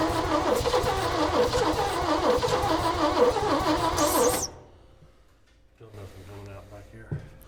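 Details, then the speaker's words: 1965 Chevy rollback with rusted cylinders and a valve not seating on number two, cranking steadily without fuel or starting fluid and never catching; crank no start. "Well, I didn't even put any fuel or any juice to it, and that's about as much as we've got out of it."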